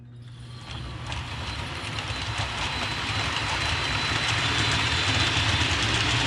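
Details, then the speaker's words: Hornby APT model train coaches after about two weeks of use, running laps before cleaning: thin high squeal and faint ticking build as they roll round. Squeak from dirty wheels and copper pickup contacts. "all right so there you heard it uh squeak around the track so what i'm gonna do next is basically uh go from one end to the other and uh clean the wheels and clean the uh copper contacts"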